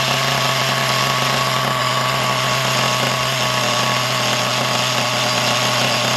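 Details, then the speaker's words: Used HPI Trophy nitro buggy engine: a fast, steady, high-pitched buzz that never drops into a slower tick-over. The idle is set too high because the tick-over screw is turned too far in. "Tick over screws a little bit too far in, out, so we'll put that in an Atchcock until it takes over."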